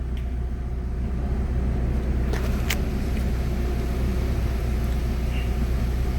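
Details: Mitsubishi Galant Shark automatic, warm after cleaning, idle lowered to about 950 rpm: steady, even low rumble with no surges, knocks or hunting; healthy normal idle.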